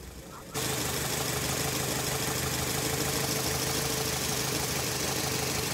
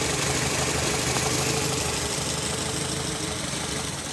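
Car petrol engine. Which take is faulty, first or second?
first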